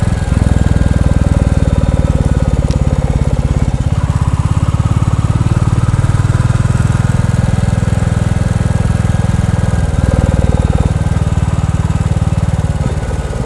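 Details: New Bullet single-cylinder pulling under load with a more open DNA air filter cover fitted and the document holder removed: deep steady thump with a faint dry buzz the owner suspected; comments concluded it is normal.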